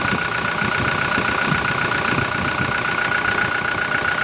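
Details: 2018 Toyota Innova common-rail diesel with VNT turbo at idle: steady even clatter with no knocks or misses; oil rising well and no abnormal smoke, engine judged normal.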